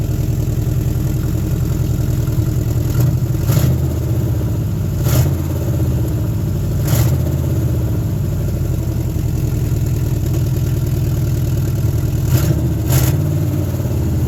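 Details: 1972 Nova 307ci V8 first fire-up after 35 years with a rebuilt carb and sanded points: lumpy idle with an occasional skip and ticking puffs like exhaust leaks. Misfiring, described as running on at least six cylinders; the owner suspects a flat cam lobe.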